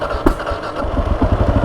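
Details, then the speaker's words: Kawasaki KLR650 single-cylinder, first proper start after rebuild: one sharp backfire pop as it catches, then a quick, even thump settling into idle before warm-up. "Oh, bit of a backfire. It's like she knew."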